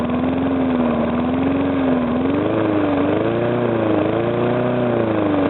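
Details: Briggs & Stratton single-cylinder engine, first start after rebuild: steady running with gently wandering governor hum and no knock; the earlier knock came from compression leaking past the piston, fixed by rearranging the rings and cleaning.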